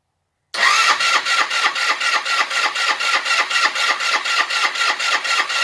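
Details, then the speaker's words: GY6 150cc Chinese scooter, first start after replacing the problematic original carburetor with a new 24mm eBay carb; catches at once and settles into a steady even idle with crisp regular pulses; sounds good, normal. "oh yes i want to stay and running holy cow sounds really good this is a sucker man that was a good decision"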